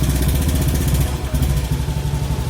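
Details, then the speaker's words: Used Honda Beat scooter at 97,088 km idling: steady, even low putter with no knocks, ticks or rattles, engine still smooth and CVT (matic) side not noisy; normal idle. "masih halus kan suaranya. Di bagian matic juga belum berisik."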